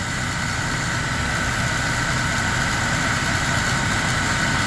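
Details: GMC Sonoma, 209,000 miles, after replacing a bad pulley (first suspected water pump, then clutch fan): even steady idle, no squeal or chirp from belt side; normal idle.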